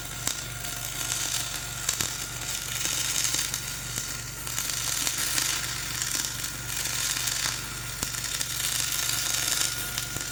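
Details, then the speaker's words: Dual-shield flux-core welding on a preheated outrigger pad, voltage up half a volt, Trailblazer one notch up on rpm: steady crackling sizzle with uneven pops and surges instead of a smooth hiss; a rough arc blamed mainly on the ropey stick weld underneath. "Yeah, I don't like the way that's welding. I think really the biggest problem is just going over the like kind of ropey, high and ropey stick weld there."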